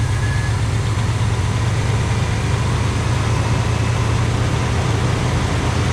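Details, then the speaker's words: All-original 1985 Pontiac Trans Am base car (not 5.0 HO), 34,000 miles, parked since 1998, with a sticky carburetor. Deep, even idle burble with no misses, knocks or ticking; runs well. "But we got her running and it runs good. Okay. Well, she sounds good."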